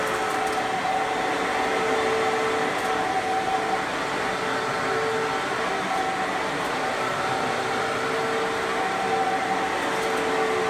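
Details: Fantom Fury vacuum cleaner (12 or 10 amp) with a good motor: smooth even whir at one steady pitch with no rattle or grind. Healthy vacuum motor.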